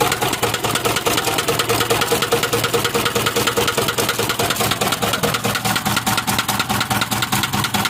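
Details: Isuzu 4HL1 diesel at idle with a loud, regular, hard metallic internal knock about two to three per second; piston damage suspected, not confirmed.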